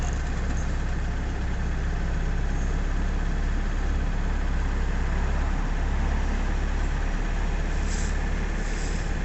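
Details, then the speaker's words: Nissan Navara D40 2.5 dCi diesel, P1275 fuel pump and P1622 codes, after injector cleaner, possible air in system: pedal floored, steady low rumble with revs only slowly climbing; sluggish response. "It's slowly coming up. That is pedal to the floor there."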